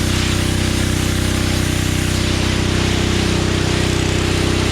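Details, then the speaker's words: Generac 01292-2 pressure washer after a carburetor replacement, fluid flush, pump bearing and oil repair, and a new nozzle: a loud, steady engine drone with an even fast pulse and strong spray hiss, no misses or surging; it runs well. "All right, so verdict is this thing is actually a pretty good power washer. I replaced that nozzle on there and it seemed to really start working a lot better."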